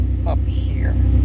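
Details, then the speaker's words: Toyota 3.4L 5VZ truck with a worn throttle body, play partly reduced: steady low rumble idling high at about 1200–1300 rpm, down from 1800–2000 rpm; still not perfect. "Okay, doing all that work I did get it to idle down some. It's not perfect but as you see I'm what 12, 1300 maybe."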